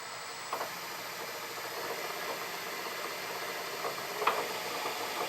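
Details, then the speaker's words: Myford lathe with newly fitted Newton Tesla 3-phase motor on single-phase domestic supply, clutch engaged: quiet even whir with faint high hum and a couple of light clicks; much quieter than the old motor, running healthy. "That's very impressive. That's much quieter than my old motor. Yes, I like that a lot."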